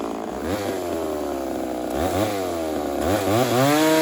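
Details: Ported Homelite Super XL-130 chainsaw on its final test run: crisp two-stroke howl revs up, bogs slightly biting wood, then clears cleanly; normal running under load.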